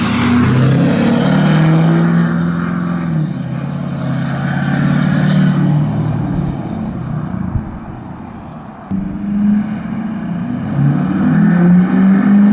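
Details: 2011 Ford F350 6.7 Powerstroke on its first drive after an engine replacement, exhaust recorded while pulling away under light throttle: deep, even diesel drone climbing smoothly in pitch, no misses or knocks; normal acceleration.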